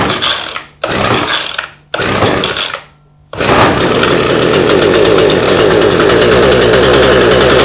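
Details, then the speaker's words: Cheap two-stroke hedge trimmer after priming and full choke: catches after a few starter pulls and holds a steady, even buzzing run; normal running, though the fuel tank is suspected of leaking. "it runs sounds nice"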